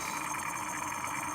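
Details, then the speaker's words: Lawn mower small engine: steady, fairly high buzz with no stumbling; running smoothly again. "This is the sound we're looking for when you can hear it going up inside the carburetor."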